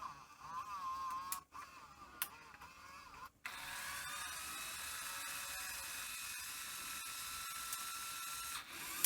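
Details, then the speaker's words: Sony EV-S700 UK Video8 deck powered on with a cleaning cassette: high, wavering mechanical whir with thin steady tones and hiss as the tape transport races; capstan motor overspeed. "so power it on there's the cassette in I mean it's just running so fast and not very well either"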